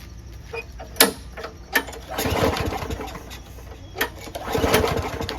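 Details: Lawnmower after winter storage, very little gas in the tank, no air filter, primer works: several pull-cord yanks with raspy turnovers that never catch. Ethanol-gummed fuel is blamed for a clogged carburetor jet.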